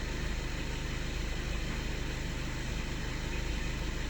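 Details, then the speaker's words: Skoda Octavia A7 2013 1.6 TDI, 188,000 km, warmed to 40 degrees; even, steady diesel idle with soft regular clatter and no knocking; the cold-start knock disappears once warm; normal warm idle. "Все практично тишина від мотора."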